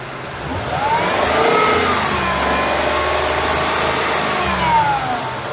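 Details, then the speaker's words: 2013 Ford F-150 with A/C on, stepping on the gas: smooth whooshing, humming roar swells as the cooling fan jumps to high speed, plus noise from the A/C compressor; complaint is high-speed fan kicking on with A/C. "all right now that fan just kicked on at high speed uh once i stepped on the gas i don't know if you guys heard that wool that humming that roaring sound"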